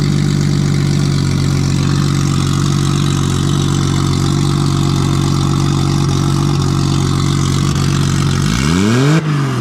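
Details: Nissan RB20 drift car after fixing no compression in cylinder 5, caused by the lifter under a low-sitting intake valve. Loud open-pipe six idling steady and even, then one quick blip and back down, clean on all six cylinders. Normal idle and revving.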